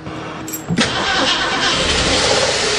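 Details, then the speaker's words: 1935 Mercedes, stored 7 years, with points-and-condenser ignition, on its third start attempt with a fresh battery: brief cranking, then it fires into a loud, ragged, smoky run. It won't idle yet and seems to run on only four or five cylinders. "it won't idle yet not running on all the cylinders that's all gas it sounds like it's only running on about four or five cylinders"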